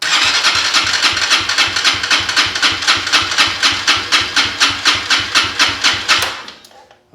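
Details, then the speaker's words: Venom KPR200 motorcycle, compression gauge fitted, wide-open throttle, battery tender on, intake valve set to zero lash: even cranking about four compression pulses a second, then stops; reads about 140 PSI, compression reduced by zero intake lash. "that's it you can see the number right there looks like about 140 PSI that's 140 PSI with zero lash"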